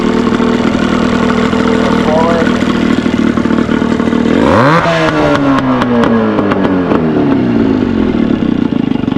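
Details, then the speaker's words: Cheap Johnson/Evinrude two-stroke outboard, just revived, bought for $5, both cylinders 115 compression, good spark: runs low and lumpy, blips up and falls back slowly; idle set too low, raised via idle screw. "Need to adjust the idle screw on the side here. Idle screw it up."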